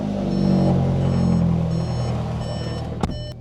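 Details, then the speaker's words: VW GLI with Vortex setup and aftermarket fuel pump, in garage after fixing swapped controller wires, first start on base map: steady high-pitched pump whine over smooth idle and slight revs; louder than factory but normal. "Y'all hear that fuel pump? That thing is loud here in my garage."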